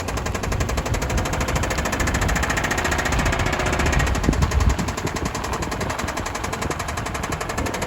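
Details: 2005 Subaru Outback XT on a short drive: rapid hard knocking rising with revs, rod knock from a worn rod bearing.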